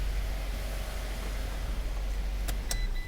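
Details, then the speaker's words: 2012 Fiat 500 after fixing a cylinder 2 misfire (P0202 injector open circuit, P0302): a steady low idle hum with no stumble or skipped beats and a couple of brief clicks near the end. Normal idle, check-engine light not yet cleared. "nice and smooth i have not cleared the light yet no more misfires"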